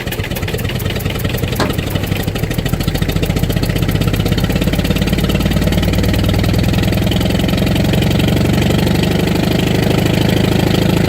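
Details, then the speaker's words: 1959 International Harvester B275 diesel tractor, cold start after glowing with throttle wide open: loud, uneven clatter with skipped beats, not yet firing on all four. It smooths out later, but it is over-fuelling; owner suspects a sticking rack or a diaphragm problem. "I don't know if it'll be starting up in the middle of winter. It seems to have a bit of a miss, too."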